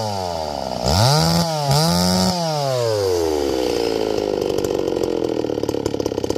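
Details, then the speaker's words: Stihl 024 AV WoodBoss chainsaw, 20-inch bar with .325 full-chisel chain, warmed up with idle turned up; engine revs sharply then turns rough and raspy at full rev, high-speed jet about to be leaned out. "Now it's all warmed up. And now, when I revved it up, you hear that raspiness?"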